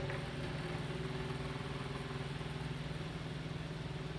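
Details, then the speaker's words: Antique Diehl table fan, about 100 years old, steel blades, oscillating at low speed: steady motor hum with faint rhythmic rumble, about four pulses a second, from slightly worn bearings. "And as you can hear, the bearings are a little worn on it. This fan's around 100 years old, so that's to be expected."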